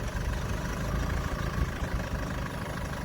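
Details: Land Rover Freelander 2, formerly a complete non-start from broken CAN bus wiring with ECU errors, after the wiring repair: steady, even low rumble with no misses, knocks or hunting; smooth, healthy idle, no dash warnings besides driver's door open.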